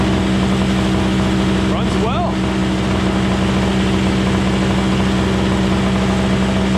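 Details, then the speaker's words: Craftsman 21" single-stage snowblower, 5hp two-stroke Tecumseh engine, after carburetor cleaning and tune-up, started on electric start: steady even two-stroke idle, constant low hum, no misses or knocks; running normally. "well ladies and gentlemen there you have it we got it running in no time flat I mean that was a quick quick tune-up on this thing"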